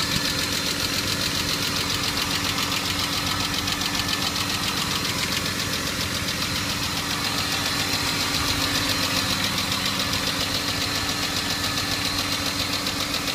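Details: Cold-start tick from hydraulic lifters on a BMW E34 520i: a fast, light, even ticking over the cold idle, steady with engine speed, recorded before adding Resurs Next additive.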